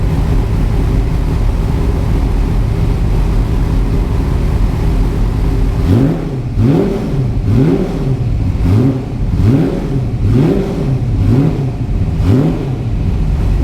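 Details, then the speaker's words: Superformance GT40 with Roush 427SR V8, in neutral right after an oil change while still about a quart low; deep loud idle then repeated sharp throttle blips rising and falling cleanly; normal running with revs. "The funny thing about the exhaust from this thing is I can still feel it pushing air all the way out here. Like, it just shoots the air out so hard."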